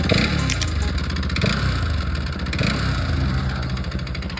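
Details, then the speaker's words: Bajaj Pulsar RS200 parked at idle: fast busy mechanical clatter with occasional sharper knocks; owner unsure whether piston/block or crank noise. "भाई मेरी bike के engine से आवाज आ रही है। अब मेरे को कंफर्म नहीं है ब्लैक पिस्टन का आवाज है या क्रैंक का।"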